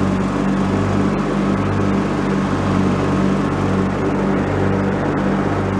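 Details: Free, previously derelict Craftsman riding mower, function check after electrical and safety-switch repairs with spindles checked not bent: even, steady low drone, no grinding or spindle rumble. Deck fairly quiet, bearings not noisy, runs normally.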